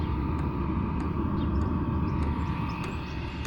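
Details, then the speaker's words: Vevor 5 kW diesel heater with an aftermarket Wayska fuel pump and aftermarket muffler: a steady low rumble with a soft airy intake hiss louder than the exhaust and faint pump ticking, no harsh exhaust roar; normal running. "You can hear the intake air more than you can the exhaust now. So yeah, pretty good."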